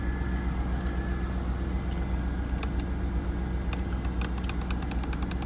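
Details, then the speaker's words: 2003 Chevrolet Corvette C5, sat over five years unstarted, first start on old fuel: steady, even low idle rumble with a few faint light ticks, no knocks or misses; good fuel pressure, quiet engine, normal idle. "Got good fuel pressure, and it sounds good. Nice quiet engine. I'm surprised. It actually is running pretty good on that fuel."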